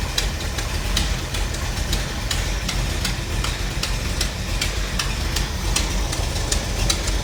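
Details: 1957 Chevy wagon 454 big block V8 idling after a new cap and rotor and a timing canister adjustment. Steady low rumble with light regular ticking, running evenly with no misfire: a normal idle.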